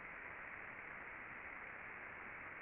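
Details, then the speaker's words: Ultrasound listen (SDT) on a rolling bearing after greasing: only a smooth, even background hiss with no crackle or ticks, and the ultrasound is gone. A properly lubricated normal bearing. "beau bruit, un bruit du fond. C'est ça que c'est supposé être normalement."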